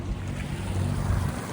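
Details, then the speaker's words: Yamaha 70 outboard running on the water after repairs for bad gas damage: steady low hum at even speed under wind and water noise, no misses or knocks; normal running. "Yeah, the engine sounds like it's running really, really well. That's good to know."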